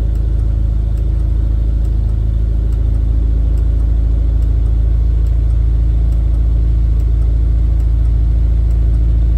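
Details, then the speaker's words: Rover P4 80 carburetted petrol engine idling steadily once warmed up after the fuel shut-off solenoid was fixed. It no longer backfires in the exhaust at switch-off, so the solenoid was confirmed as the fault. "okay that sounds a bit warmer now let's see if the backfire is going to turn it off no backfire so problem solved"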